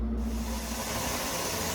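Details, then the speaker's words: Pressure canner loaded with pints of Boston beans, lid locked, venting before the jiggler weight goes on: steady, even rush of hissing steam with no sputter or rattle, normal venting. "We just wait for it to start venting, which can take, I don't know, however long the canner feels like taking."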